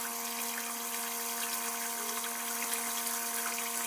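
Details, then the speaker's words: Old toilet cistern refilling after flush: steady buzzing whine at one pitch over hissing water; fill (push) valve that stops flow as water rises is worn out, to be replaced. "So the problem is right here. So this valve is basically worn out. Over time they'll wear out."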